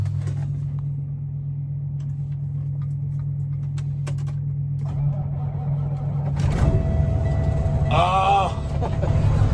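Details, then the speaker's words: 2014 Kenworth W900L, Cummins diesel, 18-speed, cold start after sitting a few weeks in low-30s°F: long laboring low churn dragging before catching and steadying; grunting, reluctant to fire. "She was grunting. She didn't want to fire up. She didn't want to fire up at all. She's like, oh no, it's been too long."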